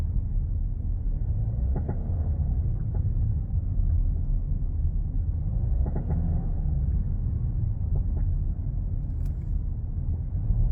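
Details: VW Touareg 7P front suspension: irregular dull clunks over heavy road rumble, knocking from a worn left front control arm (Querlenker links), to be replaced.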